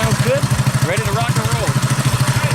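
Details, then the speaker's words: Predator 212cc single on a modified Coleman KT196 go-kart, after timing advance and exhaust repair from crash damage, thumps quickly and evenly at steady idle with no miss or rattle; exhaust sounds good. "hey exhaust sounds good ready to rock and roll"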